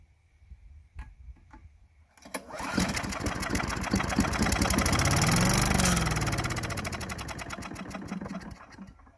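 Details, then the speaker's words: Craftsman Eager 1 4hp chipper vac (987.799790), long unused, no gas, on starting fluid: catches after a couple seconds, runs rough with fast pulse, swells then fades; owner thinks it had a little water in it. Fires briefly on starting fluid. "Alright, looks like it'll start. Looks like it had a little water in it."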